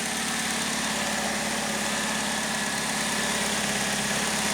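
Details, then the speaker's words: 2008 Pontiac G6 2.4 Ecotec after replacing the variable valve timing solenoid for code P0013, check engine light now off: an even, steady idle with a smooth hum and no knocks, ticks or misses. Normal idle. "let's go ahead and see how it runs check engine lights off so that's good to know if there's any other issues the light of course will come back on sounds good"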